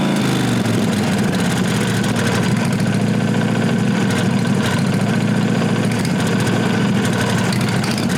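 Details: 1998 Briggs & Stratton Vanguard 16HP horizontal-shaft V-twin (model 303447) after fitting a working used fuel pump; steady, even idle with firm low beat, no misses or knocks, running on its own. Normal running.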